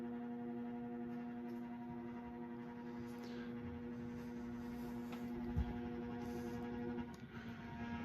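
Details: Early-1980s CEC-made Moss Heirloom Olympus 52-inch ceiling fan turned up past medium (95 RPM) on variable speed control: constant low electrical buzz with ringing overtones; motor hum caused by the variable speed, quieter at full high.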